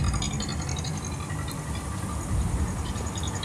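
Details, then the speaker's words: Yamaha NMAX 155 (new model), fairly young engine, CVT cover removed: rough, dry rattle over the low engine rumble from inside the engine's cylinder head; valve rocker arm noise. "jadi seperti itulah suara yang saya maksud suara kasar pada motor Yamaha nmax ini"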